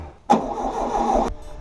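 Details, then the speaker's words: 1979 VW Super Beetle 1600cc dual-port, compression test on cylinder 4 reading 123–124 psi: about a second of even steady cranking with no valve tapping; compression not terrible. Plugs look slightly rich and engine ran rough. "123 124 I don't hear the valves tapping so it's not terrible"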